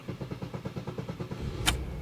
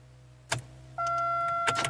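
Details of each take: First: 1999 Pontiac Grand Am after replacing a failing starter: steady cranking pulses about three per second, catches almost immediately and settles to even idle; normal start. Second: 1999 Pontiac Grand Am: a sharp click, then a steady electrical whine with a few more clicks, turning over only a little before stopping, as if choked out; failing starter, which later died completely.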